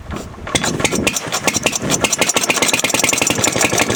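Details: Fairbanks Morse Model Z Style D stationary engine running after head-off inspection showing a machined cylinder, hardened valve seats and lapped valves; crisp, even firing beats at a steady quick rhythm over light mechanical clatter, with no misses or knocks.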